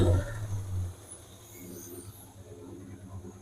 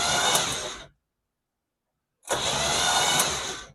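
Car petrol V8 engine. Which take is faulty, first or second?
second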